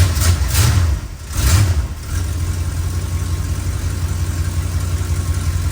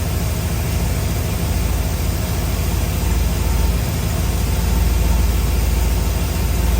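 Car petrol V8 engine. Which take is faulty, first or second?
first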